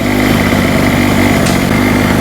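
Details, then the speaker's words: Hurricane 850W 240V two-stroke generator after a loose spark plug was tightened, at normal RPM with a light halogen lamp load: buzz with a slight wavering beat, still a little jittery and unsteady. "Still a little bit jittery there."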